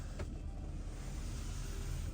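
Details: BMW E53 rear wiper running with a steady, even low motor hum after replacing the faulty ignition switch, which had made it work sporadically or not at all.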